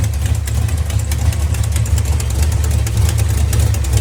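Idling engine with a deep steady rumble and rapid sharp ticks riding on top. Cause suspected, not confirmed.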